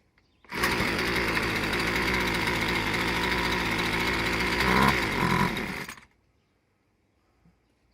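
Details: Husqvarna 124c/125/128-series two-stroke trimmer after piston replacement, carburetor screws set 1.5 turns out: high buzzy drone fires and holds steady fast run about five seconds, then cuts off; running properly.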